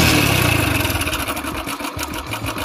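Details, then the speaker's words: 2013 Hero Splendor Pro, about 10–11 years old and properly serviced, kick-started because the battery is discharged: the single catches and settles to an uneven, clattery idle with a lumpy beat. Abnormal start-up noise; the owner attributes the change to age, cause not pinned down. "दोस्तों अब इसकी आवाज सुन सकते हैं की इसकी आवाज में कितना बदलाव ए चुका है यह बदलाव क्यों आया"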